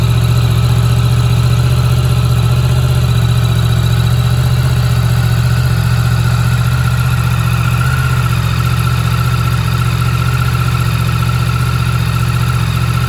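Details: Yamaha MT-10 motorcycle idling stone cold after sitting about 3 weeks on a trickle charger. Deep, even idle with a steady low rumble and no knocks or rattles. Normal, healthy cold idle.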